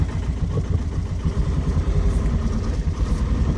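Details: Truck engine idling, with a quick, loose ticking around three a second on the low rumble; earlier a piston strike was suspected, and the ticking is heard as a tappet knocking; cause not confirmed.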